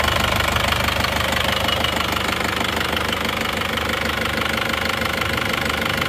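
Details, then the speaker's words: Isuzu Panther Touring diesel after engine overhaul (rings, head gasket, valve seals, crankshaft seals, clutch, bearing replaced): even clatter at steady idle, about three beats a second, no tak-tak tapping or misfire, vibration gone; normal diesel idle. "Ini adalah suara mesinnya setelah mesin diperbaiki. Jadi getarannya sudah tidak seperti yang kemarin. Sudah tidak suara tak-tak ya."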